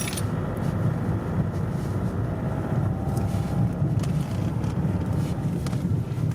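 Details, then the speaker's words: Toyota D4D diesel on a road test after replacing four faulty injectors, injector codes programmed with a diagnostic tool: even diesel drone, no knocks, misses or rattles. Drives normally, no warning light. "Ah bah roule normal, c'est du bien. Ça change, pas de voyant."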